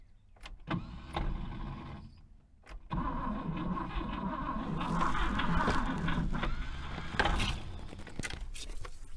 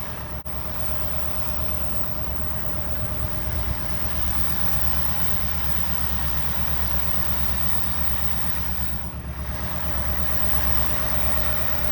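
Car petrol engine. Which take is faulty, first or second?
first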